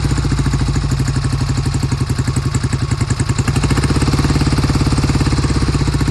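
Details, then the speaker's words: 1971 Triumph T120 650cc twin, cold start after long storage: uneven lumpy idle that stumbles and skips, left cylinder cutting in and out, never firing consistently; intermittent misfire on one cylinder. "The left cylinder never came in consistently. I could hear it cutting in and out."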